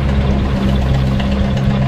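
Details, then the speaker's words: Honda Revo FI (injection) small single at idle, still harsh, uneven clatter with steady mechanical rattle after cam chain (found very loose, oil-pressure automatic tensioner) adjustment; mechanic suspects another source, plans removing magneto cover to check; rough idle noise. "memang untuk suara untuk untuk suara mesin ini masih terdengar kasar ya beda dengan motor-motor yang sebelumnya masih bisa diakalin seperti ini ya"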